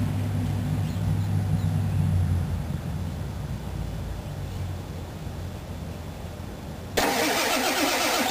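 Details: 1996 Ford 7.3 Powerstroke diesel truck, cold-soaked below about 50°F and not plugged in for two days; glow plug relay controller already replaced. Slow, steady starter churn at about four beats a second; it cranks but never fires.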